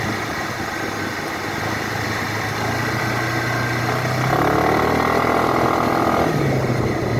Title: 2012 Suzuki Burgman knocking sound under acceleration, just sound , no video